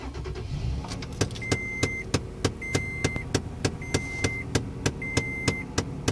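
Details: 2011 Toyota Tacoma at start-up: quick, regular clicking about three times a second with a short chirp roughly every second from behind the dash; cause unknown.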